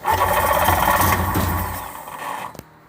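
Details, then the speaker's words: 1994 Sea-Doo GTX, fuel run straight from the tank and marine battery after the small battery died from many attempts: starter turns over steadily about four beats a second, beginning to catch before stopping; long, reluctant crank. "Keep going. Hear that? It's starting a little bit."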